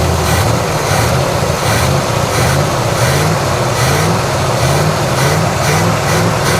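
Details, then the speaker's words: 1987 Chevrolet Monte Carlo SS V8 after sitting 20 years, idling before warm-up, microphone under the car: rhythmic puffing tick in step with the engine, no valvetrain ticking; exhaust leak. "I hear no ticking, nothing under the engine. All I hear is that uh exhaust leak."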